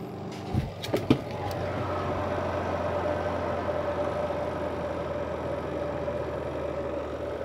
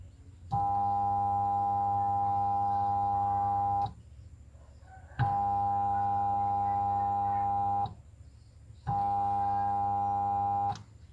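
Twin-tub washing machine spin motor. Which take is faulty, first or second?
second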